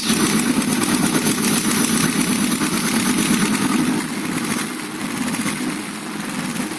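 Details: Engine idling with a light, fast, uneven tapping of roughly three per second over the run; suspected valve tick, not confirmed.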